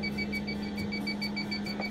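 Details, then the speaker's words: 1989 Champion Ultra Star motor home propane detector: quick high-pitched chirps repeating steadily several times a second over a faint hum; alarming because it has not been reset. "the reason it's beeping is because it says it hasn't been reset yet so what you have to do it's looking for for a reset"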